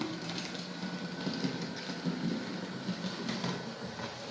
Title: Märklin 37806 Motorgeräusch ohne Sound nach Kundendienst